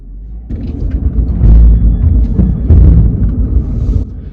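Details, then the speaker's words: Land Rover Freelander driving at low speed, worse at full steering lock: deep uneven driveline rumble swelling; suspected U-joints or prop shaft, not confirmed. "we think there's something going on with the u-joints could be the prop shaft because that's another [Music] freelander classic issue"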